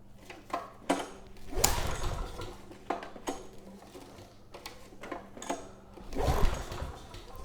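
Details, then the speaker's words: Generac WheelHouse 5500 W generator with Briggs & Stratton engine 204412, refueled with a new air filter, choke on then off: repeated recoil pulls turn over with no firing; compression feels good, so lack of spark is suspected. "Nothing. The compression feels good, so I don't think that's the issue. Choke's off now, and still no signs of life. So I think spark could be to blame here."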